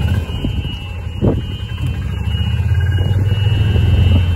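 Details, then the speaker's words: Club Car golf cart accelerating after the governor was loosened and throttle cable adjusted for more top speed, following complaints of sluggishness on hills: low thumping engine note builds steadily with no misses; normal running under acceleration. "here's your Governor here so you can loosen that off and she'll get a little more top speed this is loosen this off pull it out a little bit"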